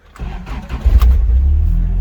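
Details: Toyota pickup truck with a no-start clicking problem, started in neutral by jumping the starter solenoid from the cab with a spliced-in button; brief uneven crank catches and settles into a steady low idle: normal engine start.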